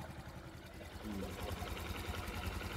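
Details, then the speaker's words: Single-cylinder motorcycle engine after repair of incorrectly installed sleeve, muffler blocked by hand to check: steady low putter settling into an even beat, no knocks or rattles; no more smoke, quiet healthy idle, minor issues to observe. "Ayan, wala nang usok. At tahimik na po yung makina."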